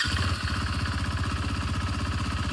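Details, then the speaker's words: 2019 KTM Duke 390 BS4, second owner, about 20,283 km: deep even thumping idle with steady rhythm, no ticking, knocking or misfires; engine healthy, no complaints. "നല്ല നീറ്റാട്ടോ. എഞ്ചിനോ കാര്യങ്ങളൊന്നും വന്നിട്ടില്ല."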